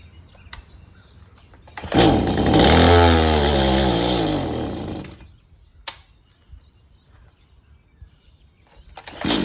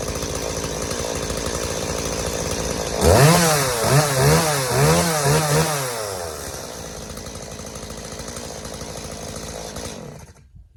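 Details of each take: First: Stihl MS180C chainsaw with a new spark plug: it fires and revs briefly, then bogs and dies when given gas; the carburetor metering diaphragm was found stiff, starving it of fuel. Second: Stihl MS180C chainsaw that bogged and died on throttle, after carburetor rebuild with new metering diaphragm, gasket, pump diaphragm and gasket; fires, revs crisply in several blips, then settles to a steady even idle without bogging.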